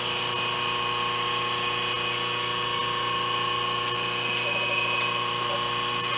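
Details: 5 HP inverter-rated three-phase idler motor on a 5 HP rotary phase converter, idling unloaded on the bench, about 7 A and 8 A on two legs: constant hum and smooth high whir holding steady, no bogging, running normally.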